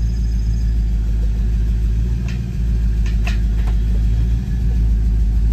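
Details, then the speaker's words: 1995 Ford Mustang GT V8 after cleaning distributor cap and terminals, with plugs and wires tested good: idle has an uneven, lumpy rumble with no steady beat, still backfiring or misfiring, cause unknown; misfire at idle. "yeah it's still doing I can still hear it kind of backfiring or misfiring even though I clean that distributor cap all the terminals out of any corrosion"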